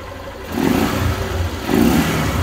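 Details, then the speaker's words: Small 4 mm motorcycle with original carburetor and exhaust, and a newly developed silent performance cam: two clean throttle blips with no ticking or clatter. The cam noise is gone. "olha aí ó motinha 4 MM carburador original escapamento original e o comandinho que acabou de desenvolver agora olha ISS só mano acabou o barulho filho"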